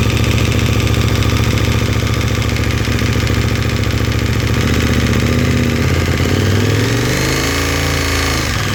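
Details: KTM 1290 twin, cold idle: quick, fairly even metallic clatter over the lumpy beat, present since about 10,000 km and disappearing once oil reaches 70 °C; cause not determined.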